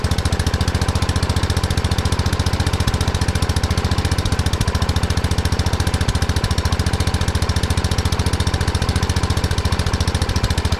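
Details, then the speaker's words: 1979 Kohler K301 12 hp single-cylinder from a riding mower, after carburetor and electrical work: runs fast and steady at too high an idle because the carburetor adjustment went too far; owner later readjusts it. "I went a little too far on the adjustment there's a lot of idle I've been trying to adjust it the carburetor a little bit but we'll see what it does now"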